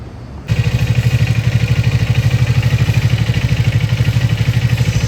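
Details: 2025 Triumph Speed 400 single-cylinder motorcycle at idle: uneven clattery beat, an abnormal engine noise; owner suspects valve shim or timing chain, workshop still diagnosing.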